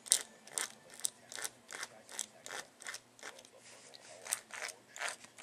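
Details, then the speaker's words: Tamiya CR-01 differential turned by hand after applying marine grease to the ring gear: gritty, uneven gear grinding in quick bursts, showing it still needs more grease. "you want it to be nice and smooth as you can hear you can still hear the gears making that grinding sound that means that we need more grease"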